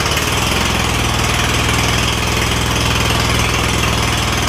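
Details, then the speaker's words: Craftsman DYS4500 lawn tractor, Kohler Courage V-twin with failing 12V ignition coil system and trashed wiring: loud, lumpy, uneven chuffing with no smooth rhythm; one cylinder dead from no spark, started to test drive. "so I can already tell you that this is going to run like absolute garbage but we're gonna give it a shot just so we could see if I got the drive back by doing that"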